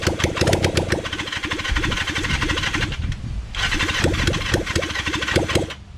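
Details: Kawasaki Zephyr 750 under restoration, carbs just fitted after ignition fixed, cranked with a bit of choke: steady brisk cranking for several seconds, never firing, just spins. No-start because the fuel tank had run empty.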